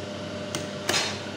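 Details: Brother 814 buttonhole sewing machine after adjustment: soft steady hum, a couple of light ticks, no harsh bang at the stop; now runs quietly and normally.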